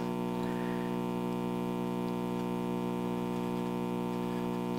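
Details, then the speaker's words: c. 1956–57 GE model 875 All-American Five vacuum tube radio, first power-up at 117 V drawing about 19 W; steady low mains hum from the speaker but no stations received, so the audio stage works while reception fails. "so i'm not getting anything except i am getting hum so we know the audio circuit seems to be working"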